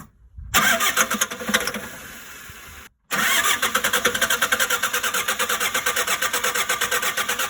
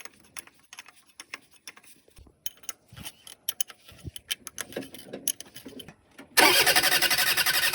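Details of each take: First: Shengong 20 diesel that won't start; two cranking tries with even starter beats about four a second, never firing; failed high-pressure fuel pump, fixed by replacement. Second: Shengong 20 that wouldn't start, after replacing the high-pressure fuel pump: clicks and handling noise, then the engine fires abruptly and settles into a steady, even run; starts cleanly.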